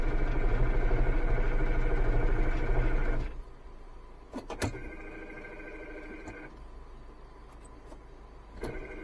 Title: 离合器异响严重震耳欲聋，汽修工判断失误相差一厘米#汽车 #汽车知识 #修车